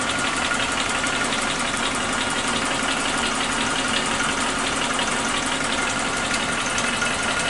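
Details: Suzuki Katana engine at steady idle with quick light ticking, about three per second, from the top end; owner suspected loose valve clearance, but after tightening the adjustment it still ticks, so the cause is unknown, possibly normal.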